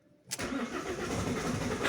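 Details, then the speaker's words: Common-rail diesel, engine synchronization being checked on a diagnostic tool: brief rough crank before the engine catches; it still starts but with difficulty; hard starting. "the cars the engine still turns on but it turns on very difficultly"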